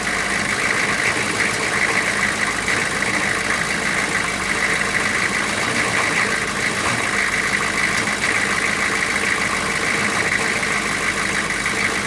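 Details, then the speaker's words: GM 6.5 turbo diesel, just restarted after sitting about four to six years, coolant leak found. Steady, even diesel idle with constant clatter, no misses or surging; running smooth. Normal idle. "but it is running and running smooth now that's a good thing so I'm going to let it run for a couple minutes not too long"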